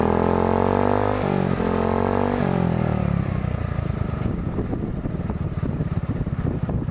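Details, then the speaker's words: 2008 Jonway GY6 150cc scooter with new eBay performance exhaust and new air filter, revved from idle: pitch climbs then drops into low uneven chugging; bogs, owner links it to the new air filter. "You can hear my bog down with the new air filter."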